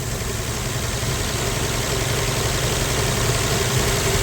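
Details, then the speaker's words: 1965 Plymouth Valiant 100, slant six, 3-speed, first start in years: steady, even idle with a smooth low rumble and no knocks or misses; idling nicely, with a little smoke noted afterwards. "Well, that's awesome, man. Well, that sounds good. That's idling nice."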